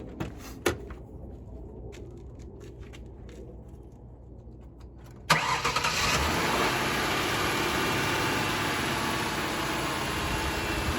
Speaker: And what we're hearing for is any kind of rattling or tapping noise. We want to make sure everything is nice and smooth. The engine is not jumping or skipping.